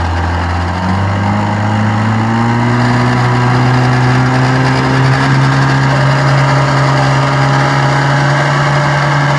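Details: Restored 1956 Johnson 7.5 hp outboard on a 14 ft jon boat at about 10 mph on a lake test run: revs to a steady drone with a buzzy hood rattle, caused by missing rubber grommets; motor otherwise runs great.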